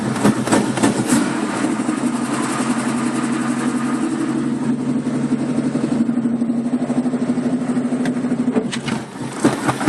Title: 1965 mustang 2150 carb rough idle